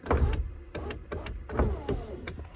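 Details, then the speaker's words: 1984 Mazda RX-7 GSL-SE power window, barely moving or very slow; sharp single clicks about every half second with no motor whir, electrical signal getting through — power window clicks but does not move. "And if you can hear, I think there is an electrical signal that's going through. If you can hear the click."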